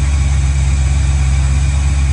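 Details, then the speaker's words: 1965 Chevy Nova V8 at first start-up after a rebuild, with a new cam and headers, in park: deep, even burble with a steady low rumble and no stumble or miss, smooth settled idle; idle should drop as it warms. Normal idle. "And now as it runs a little warmer, the idle will go down."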